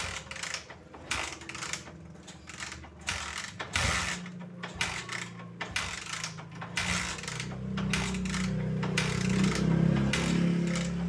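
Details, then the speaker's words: Tiger motorcycle idling unevenly with irregular popping stumbles, smoothing briefly when revved; it misfires at low rpm and dies at idle, needs choke to start, and a counterfeit spark plug was found. "Oke Guys ini ada kendaraan Tiger ya keluhannya itu bbet di putaran rendah ataupun RPM bawah"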